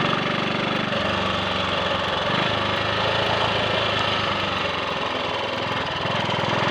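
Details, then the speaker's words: Triumph Sports Cub single-cylinder after thorough fuel-tank clean-out of fine rust fouling the main jet and a protruded-electrode plug: evenly firing steady beat, no gaps, misfire or cutting out; slight 1/2–3/4-throttle hesitation, owner suspects crud on carb needle. "It's working. There we are. That didn't miss a beat."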